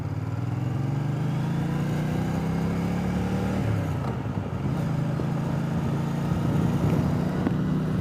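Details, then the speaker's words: Triumph Speedmaster test ride with replacement used official Triumph exhaust pipes: a steady exhaust drone rising and falling with throttle, much quieter, no backfiring or pops on downshift, smoother, possibly due to back pressure. "Boy, is it ever so much quieter. And no more backfiring on the downshift. A lot smoother."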